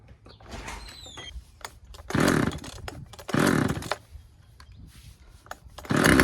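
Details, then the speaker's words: Husqvarna 136 chainsaw, first start: fires in short revving bursts that fall away and won't hold a steady idle; low-speed carburetor mixture needs a slight adjustment. "Uh sounds like we got to adjust the low speed um setting on it just a little bit, just a hair, and I think we'll be good to go. Yeah. She wants to run."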